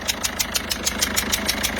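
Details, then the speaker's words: Peugeot 207 HDI diesel at idle: sharp regular puffing ticks about six a second as compression blows past a leaking injector seal at cylinder 1; customer reported a no-start; injector seals to be replaced after diagnostic scan. "on va intervenir, remplacer les joints d'électeur pour résoudre le problème."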